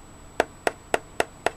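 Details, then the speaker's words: Burnt-smelling, bulging LiPo battery pack from a Polaroid DVD player, described as near thermal runaway. Five sharp springy pops about a quarter second apart as the pack is pressed. The lithium cell is swollen from over-discharge. "this battery here was not far from exploding I mean you can you can just tell by how Bowls out it is"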